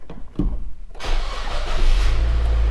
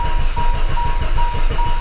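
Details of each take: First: Manual-transmission used car started during a pre-purchase inspection: brief crank, then it catches within a second and settles into a steady, even idle with no rattles; normal start. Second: Used car for sale, first start attempt: slow, labouring cranking with heavy low thumps before it finally fires; hard starting taken as sign of big problems, cause unclear.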